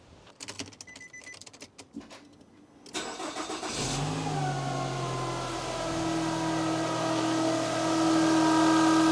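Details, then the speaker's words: Nissan X-Trail idling in the workshop: after some clicks, a faint steady whine over the idle, traced by microphone to a worn alternator bearing; battery also not charging. "Just a little bit whiny."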